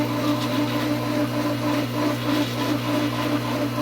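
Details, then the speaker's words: Pool pump at pool opening, not yet primed: a steady motor hum with a wavering, pulsing surge as water creeps up slowly back and forth. The pump is surging because it has not caught prime. "I don't know if you can hear it but you can hear the surging or it goes like this so what's happening is the water is coming up like this really slowly it's kind of back and forth back and forth like [Music]"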